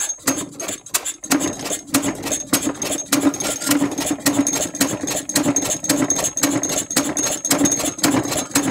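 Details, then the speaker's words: Large-scale Westbury Wyvern open-crank stationary model engine clamped to a workbench with loosened clamps: rapid uneven firing with loose metallic rattling from the mount, apparently running out of the small amount of fuel put in; uneven running. "the noise is the engine rattling about on the table as the clamps have rattled loose but you get the general idea obviously running out of that bit of fuel that we put in it"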